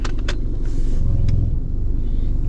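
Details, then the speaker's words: 2015 vehicle with 102,000 miles, in for an AC check: at idle a deep, heavy rumble with a shaky, uneven throb, rattles and clicking, indicating excessive vibration; motor mounts are suspected but not confirmed. "hear that our motor mounts you hear that lots of vibrations and rattles and clicking and clacking"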